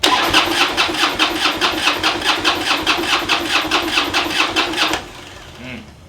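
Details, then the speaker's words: Harley project bike, battery charged overnight, a gallon of gas added, fuel pump audibly running: steady starter churning for five seconds with no firing at all, a crank no-start; owner suspects it is not getting fuel. "all right so i guess it's not getting fuel even though it's got gas in it and i can hear the pump running"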